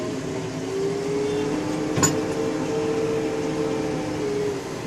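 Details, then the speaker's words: New 2023 JCB 3DX backhoe driving on the road with front loader and rear bucket raised: steady drone with a thin wavering squeal and a short thump when the brakes are applied; source unknown, dealer not yet convinced. "जैसे ही मैं break apply करता हूं ना भाई कितनी ज्यादा आवाज आ रही है"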